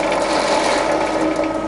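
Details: Used Cosen C-320NC fully automatic double-column bandsaw with its hydraulic, variable-speed chip conveyor running: steady, even mechanical whir with light gear ticking and no knocks or grinding, the conveyor working smoothly.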